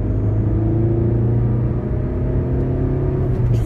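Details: Front-wheel-drive car after replacing the worn inner CV joints that caused shuddering under acceleration, hard acceleration: low, even engine rumble pulling smoothly with no rhythmic shudder or thumping; driveline healthy.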